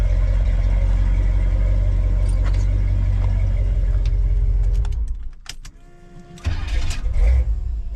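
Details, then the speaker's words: Squarebody Chevy dually after an HEI distributor rebuild; it had refused to start before. Strong, steady low rumble for about five seconds, then it drops away and returns smoothly, with even firing and nothing odd. Normal running. "And now it's started and it's sitting here and idling and all happy. And it's not doing anything stupid, so. And it sounds good, which is awesome."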